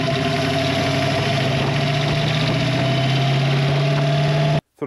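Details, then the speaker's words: 1966 Mustang Fastback, 302 stroked to 347 with hydraulic roller lifters and T5, after a new build: V8 idling with a light, quick sewing-machine ticking over the rumble, also heard while driving, from loose valve lash needing readjustment. "the reason why is I've developed a little bit of a ticking sound or the stereotypical sewing machine ticking that you can hear when the car is idling or even when you're driving"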